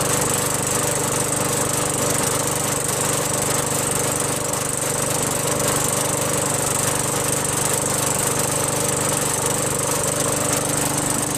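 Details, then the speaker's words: Craftsman 21in push mower with a 5.5HP Tecumseh engine that previously started only when primed, then stalled. After a quick carb bowl cleaning with carb cleaner, fuel flows and it keeps a steady, even clatter at constant speed, no surging or stalling. Normal running. "There we go. Got fuel coming out now. Fuel will stay running. How about that?"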